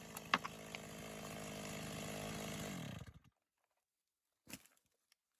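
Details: Stihl MS 260 Pro chainsaw, bought as a problem saw that stalled, was hard to start and then would not start, after replacing the fuel tank vent and gas cap and a carburetor kit: revs up clean and steady with no stumbling or bogging, then cuts off; running normally.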